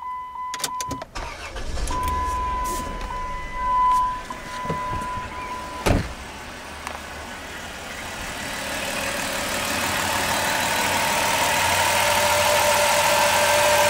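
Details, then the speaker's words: 1990 Ford van after a leaking water pump was replaced: engine cranks, catches and settles into a smooth, quiet, even idle with no knocks or squeals. The mechanic heard a slight alternator noise via stethoscope. Normal idle. "What a difference, huh? Sounds great."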